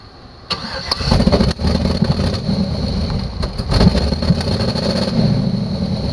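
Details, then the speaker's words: 2006 GMC engine catching and climbing in revs by itself with the throttle butterfly shut, surging unevenly instead of settling to idle. Acts like a large vacuum leak, cause suspected not confirmed; revving without throttle. "huh dude it is revving up without the butterfly opening it is so weird this is so weird"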